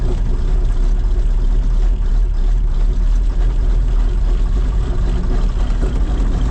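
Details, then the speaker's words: John Deere 8820 combine diesel after exhaust manifold gaskets replaced and aftercooler and coolant manifold refitted: deep, steady idle, no ticking or puffing at the manifold; sounds much better, left to warm up. "fix sounds a lot better that's a big win that is a big win I'll let it run for a a little bit let it warm up some"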